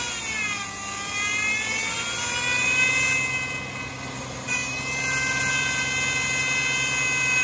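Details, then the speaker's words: Power steering pump right after topping up low fluid, revs raised so the faster-turning pump pushes air out of the lines; a high, thin whine rising and falling with revs from air in the system. "raising the RPMs makes the pump turn faster so it pushes all or hopefully will push all the air out of the lines"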